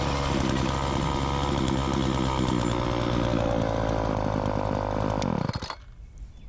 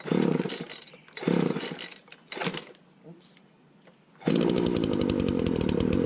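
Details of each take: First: Walk-behind wheeled string trimmer, two-stroke, low-speed carb screw opened half a turn, no air cleaner fitted, string short: steady high buzz holding even revs without bogging when throttle punched, then shut off; normal running. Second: Wheeled walk-behind string trimmer without air cleaner, primed, just after throttle fix; short bursts that die once choke is off, then steady buzzing run. Lean low-speed mixture.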